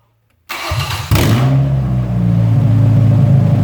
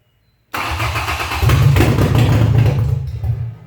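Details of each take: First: Junk truck, bought non-running after long sitting, restarting after its seized fuel pump was freed: starts immediately and settles into a smooth, steady idle with no knocks or misses. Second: Old Ford junk auction truck at its first start attempt: catches and revs about two seconds, then fades and dies; the fuel pump isn't heard running, seized and not feeding fuel.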